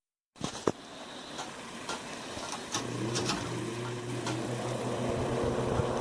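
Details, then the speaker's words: 1978 Lakewood S-223 box fan running after hub removal and cleaning, low to high speed: steady fan hum with scattered soft ticks and rustles, like something blown around inside the cabinet; rustling noise inside housing. "kind of sounds like there's something inside the cabinet it's getting blown around"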